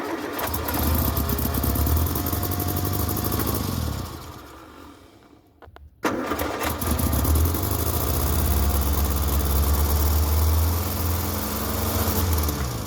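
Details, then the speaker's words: 1961 MG Farina Magnette MK3, 1500 engine with twin carburetors, sat over 20 years, leads fitted and points checked: cranks, dies briefly, then catches on fuel sprayed into the carbs and settles to a lumpy, uneven idle; runs, carburetors still need rebuilding. "works it runs so now I get to tear apart the carburetors and work on it but it runs oh thing has been sitting around for over 20 years but I'm excited"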